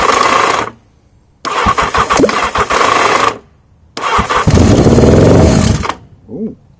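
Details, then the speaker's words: Motorcycle cranked on a charging battery with what seems to be weak spark, before carbs fitted: slow uneven cranking with metallic clunks and rattles, never catching; clunky rattle, owner plans cam chain tension adjustment. "we have noise a bit clunky Ard cam chain tension up again"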